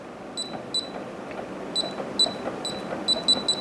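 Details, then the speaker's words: LaGard LG Basic electronic safe lock: single high beeps per digit, then three quick beeps with three LED flashes rejecting a wrong six-digit code. "you'll hear an additional be again so it sounds like three straight beeps and three straight flashes from the LED um so it's fairly apparent that you're entering the wrong code"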